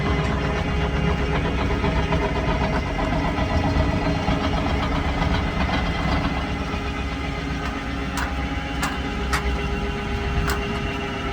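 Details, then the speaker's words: Brand-new travel trailer (built January 2023) slideout motor droning with loud, uneven clicking while moving; gear rack installed crooked and possibly warped, chewing up the teeth. "when uh ran the slide was making some funny noises so I'm gonna put that right here you'll hear the loud clicking when it's moving"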